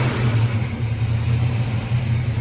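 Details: Car idling during a fuel pump replacement, with the pump wired and all fuel lines connected: fuel pressure reads a correct 38 and there are no leaks. A steady low engine hum with an even pulse and no stumbles; it idles smoothly and sounds healthy.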